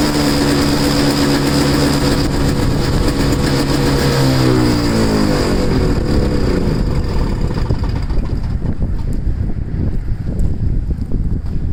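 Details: Two-stroke snow blower started in cold, windy weather after sitting 10 months, choked and unprimed. It catches, its pitch swings briefly, then it settles to a steady, even rattle. Runs normally.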